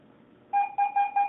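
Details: Garrett AT-Pro metal detector air test with a 1941 silver Mercury dime at about 4 inches, reading ID 82–83. Five sharp high chirps as the coil passes give a strong, normal high-tone response.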